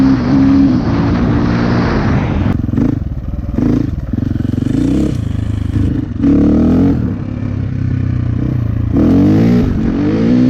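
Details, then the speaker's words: 2004 KTM 450 EXC with Keihin carb, sat 6 years, on a test ride after leaning the fuel screw to half a turn out. A crisp single bark revs and settles cleanly with no stumble or popping, running normally; possibly still slightly rich off the bottom. "Woohoo! That is slippery. Sounds pretty good."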